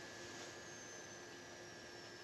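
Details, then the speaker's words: Macintosh LC III setup: thin high-pitched whine sliding lower in pitch like bombs dropping, over a quieter steady tone, heard soon after monitor power-on. "you will hear this whining noise sounds like bombs dropping"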